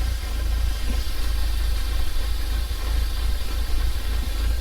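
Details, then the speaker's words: Audi B7 A4 after cold air intake and diverter valve install: idle briefly improves, then turns uneven and lumpy with a wandering shaking pulse; rough idle, vacuum leak suspected, codes to be read. "Oh, now it's running kind of rougher. Oh, okay, now it's shaking again. Oh man, it's shaking again."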